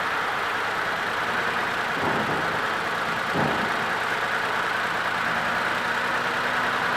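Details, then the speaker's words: 2008 Ford Edge 3.5L AWD V6, rough idle and no power, check engine light on, electrical burning smell: rough, stumbling idle with one cylinder dropping out; misfire from a failed PCM ignition coil driver and melted coil. "definitely has some roughness to it check engine lights on has like a electrical burning smell"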